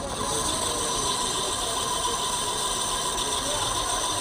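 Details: Ceiling fan running slowly on direct line, steady dry scratchy "khis khis" hiss with thin high squeal; bearing squeak.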